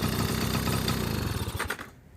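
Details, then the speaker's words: 1980 Honda Express II two-stroke scooter: catches and runs with quick, even popping beat before fading off; fires right up, healthy. "now look at it it's super clean it runs it starts right up the lights work"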